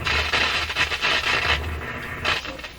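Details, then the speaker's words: Canadian Westinghouse 981X shortwave radio on broadcast band, tuned by hand: irregular scratchy crackles burst in and out while turning the tuning capacitor, then audio disappears; suspected short in the tuning capacitor, not confirmed. "so that that sounds like a short in the tuning capacitor oh how come it didn't come back well that's not good where'd it all go and a few crackles and then it all went away"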